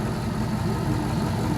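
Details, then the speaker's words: All-aluminum 5.3L L33 Gen 3 LS V8 warming up in open loop at idle: smooth steady burble with injectors audible, no lifter ticking or knocking after lifter replacement. "so let's let this warm up sounds great no lifter lifter ticking or knocking or anything anymore those lifters did the trick"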